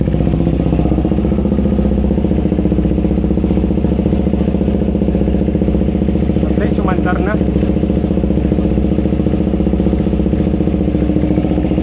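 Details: KTM Duke 390 V2 after sitting a month with a fuel pump not priming, fixed by tapping the stuck pump, check engine light on: steady, even idle with no misses or clatter; runs fine.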